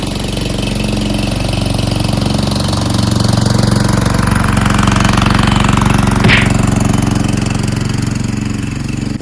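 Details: Free Cub Cadet push mower (probably MTD, Powermore engine) after carburetor cleaning and wheel repair: even single-cylinder chug at about three beats a second, holding smoothly with no misses or surging; normal running.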